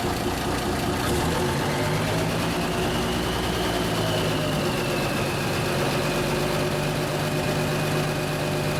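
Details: 1974 Kenworth W900A, Cummins NTA420 diesel, idling just after its first start in three years: steady, even low diesel rumble with no knocks or misses. Normal diesel idle.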